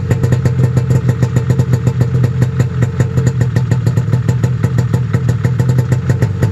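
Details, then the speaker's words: Snowmobile cold-started at 28°F at 7am. Steady, even two-stroke idle just above 1500 rpm, slightly rough at first; healthy cold-start idle. "so that's good just idling just above 1500 so i'm happy about that it seemed a little rough at the beginning"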